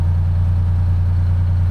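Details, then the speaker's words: Detroit 12V71 V12 two-stroke diesel in a 1975 Peterbilt 359, restarted after sitting about 15 minutes to check fuel prime, idles with a deep, steady drone, no out-of-fuel stumble or misses, slight slobber, no blowby; normal idle. "that's what we're looking for no stumble I was waiting for that like out of fuel stumble Bo that's running nice just got Touch of slobber"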